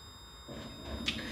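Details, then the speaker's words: Gen3 Toyota hybrid inverter, unmodified, on the bench with a new openinverter-based VCU and 62 V on the high-voltage bus: a faint steady high-pitched whine showing it is powered and ready to respond to a torque request. "the fact that we're whining means that we're ready to go and it will respond to a torque request over here on the vcu"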